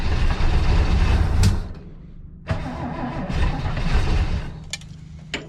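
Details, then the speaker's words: 1967 Chevy Nova barn find, first run after 37 years, fuel poured in for the mechanical fuel pump: catches and runs unevenly, surging and dipping with irregular pulses and pops, shaking heavily; rough running. "that's weird never had one act like it's just shaking like well there we go it's running now boy it shakes we are gonna run it"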